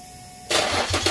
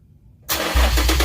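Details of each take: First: Car start-up after exhaust pipe repair with new nuts and bolts: quick crank into a firm, even idle with blips, no ticking or puffing; loud exhaust leak gone. Normal start-up. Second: Car after cutting out the bad Y-pipe, running with open exhaust at the catalytic converters before fitting the new Y-pipe: cranks, catches and revs with a loud, raw, deep rasp sagging back to idle.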